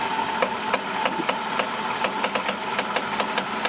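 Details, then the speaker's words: Toyota Sienna (2010 or 2011), engine idling: sharp creaking ticks, about three to four a second, when the steering wheel is turned, traced to one front side; likely worn strut mount, whole strut assembly replacement recommended. "so this is a 2010 Toyota Sienna and the complaint of this car when you turn the steering wheel you can hear a squishing sound"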